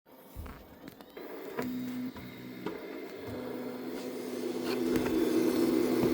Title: AD5X E0113 Popping Sound During Heating Element